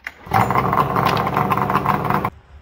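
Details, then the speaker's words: ZRT 600 triple-cylinder snowmobile after a replacement bottom end (crank bearings noisy, seals leaking): fires on first pull into an even, buzzy idle, then cuts off; runs smooth and healthy. "let's just see if it starts up nice and easy now dude that's what we like to call a one pole Wonder"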